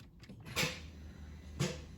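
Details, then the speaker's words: Bentley Continental GTC (3W), W12: two sharp starter solenoid clicks about a second apart and no crank; the starter itself was OK and the fault was a bad starter cable connection. "and that's all you hear you hear the Solen no clicking on the starter motor but no start"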